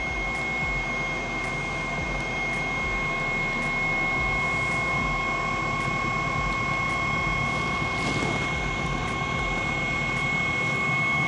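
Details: 2013 Espar Eberspächer Airtronic D5 5 kW diesel heater: once it lights, steady even roar with fan whine, no sputtering or surging; heater fired and running normally.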